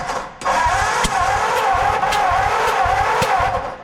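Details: 1949 Ford farm find (5-hundy), firing order and plug wires being sorted: starter spins the engine with a steady whir and slow uneven pulse about twice a second; low compression on several cylinders.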